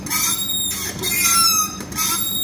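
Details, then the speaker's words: VW Golf 4 (engine code 1Y): high sharp squeal rising and falling with each wiper sweep, about once a second; the wiper assembly is most likely seized, and the linkage is to be removed and inspected. "avem acest zgomot la ștergătoare Cam așa fac ștergătoarele"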